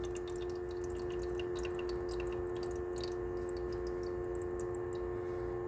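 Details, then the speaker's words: Frigidaire small ice maker after clearing a blocked side tube; pump squirts water, nothing into overflow, all into the tank; steady low hum with trickling and dripping; normal water pump operation. "let's come back up squirting water no water running in the overflow or I'll call it overflow and it's all going in the tank"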